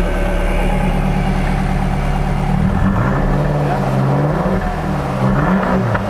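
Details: 1999 Lotus Esprit V8 idling lumpy and uneven on six cylinders, with a regular stumble in the low beat, after ECU coil drivers were swapped; misfire from no spark in two cylinders, traced to an ECU fault.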